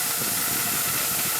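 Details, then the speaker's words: CNC way lube system, compressed air through a plugged metering valve: steady sharp hiss and bubbling as air escapes at the fitting instead of passing through, with little flow at the outlet; the valve inlet is plugged, likely never replaced. "so i just put that little piece of paper there and you can see it's not really moving here it's not really moving there and there's also leak here so watch that bubbling see that bubbling that means this is plugged up and the air has an easier way to come out right there"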